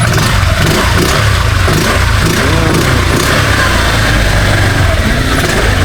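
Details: Honda Click 125 V3 scooter after replacing a dirty mushroom air filter over two months old: engine revs strongly with a full, even exhaust roar, no misses, no longer dying; previously it stalled on every morning start.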